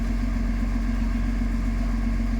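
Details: Backhoe excavator diesel after fault codes cleared and fuel-system work (operator reported low power and smoke under load), restarted for testing: steady, even idle with smooth low rumble, no knocks or misses; no fault code returned so far, normal idle.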